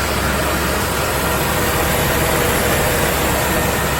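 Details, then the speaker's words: 2008 Dodge 5.7 Hemi after A/C compressor clutch replacement, A/C switched on: even, steady V8 idle with the clutch pulled in and spinning faster, no grinding, chatter or squeal; compressor running smooth, fix successful. "Go ahead and engage the AC. You'll see it start spinning a lot faster."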